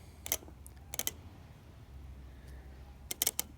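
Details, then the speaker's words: Automotive fan relay bench-tested with battery across its coil terminals: sharp, crisp clicks at each connection and release, ohmmeter reading going to 0; relay switching cleanly and working properly. "Yep, it clicks."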